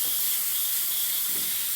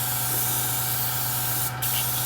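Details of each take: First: Model airbrush with compressor cycling around 20–30 psi: only a steady, even airy hiss, air flows but no paint comes out; cause unknown; airbrush sprays air but no paint. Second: Airbrush after the leftover water was tipped out, sprayed until just air comes out: clean, steady hiss with a brief pause, no spitting or sputter. Normal air-only spray.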